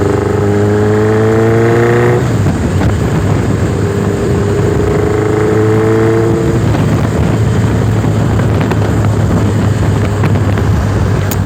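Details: Warm motorcycle on small throttle: revving with an uneven, stumbling note instead of a clean pull while testing a misfire, cause unknown.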